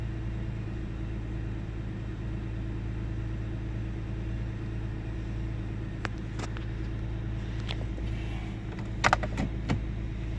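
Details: 1998 Ford Taurus SE OHV V6 at idle, hood open: low steady rumble with a few uneven stumbles and slight speed wobble late on. Intermittent miss with mild rpm fluctuation; earlier swung 400-1000 rpm with no warning lights. Cause undiagnosed.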